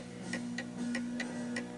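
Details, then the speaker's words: Antique 1920 Napoleon hat mantel clock set on a tilted, uneven surface (leaning right): ticks come in uneven pairs, more tick than tock, lopsided beat; out of beat and will eventually stop. "So you can hear it's ticking more than tock, and eventually it will come to a stop because it's uneven."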